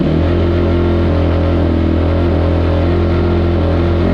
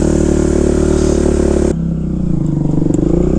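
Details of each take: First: 2005 Kawasaki KX250F after rebuild with journals sanded, kick-started on choke: steady deep single-cylinder drone at fast idle; runs well on choke but dies when choke is turned off, unresolved. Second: 2005 Kawasaki KX250F single-cylinder four-stroke after carb retune (a little richer on the top end), choke on, one-kick start, warming up: crisp, fairly even thump with a short blip; healthy warm-up idle.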